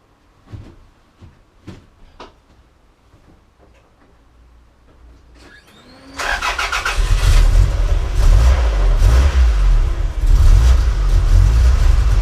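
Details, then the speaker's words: 1991 Toyota Celica GT 3S-GE: few clicks, catches and runs with uneven lumpy beat and wavering revs, cuts out when left idling; running rough. "well as you know this isn't running right and when it's left dangling cuts out after"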